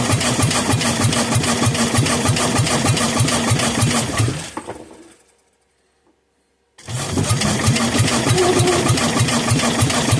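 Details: Kohler K241 10 hp single that sat for years, carburetor filled by hand: rapid popping run that dies to silence, then catches again on a rough beat; it only fires on the primed fuel and won't run steadily.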